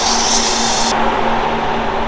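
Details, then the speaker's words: Toyota FJ on a Moab trail: sharp high air hiss over steady hum as the front air locker fails to engage, seal leaking badly at the front. "what's up is it you hear it hissing out of there my my uh thing's right there that seal's leaking like crazy in the front"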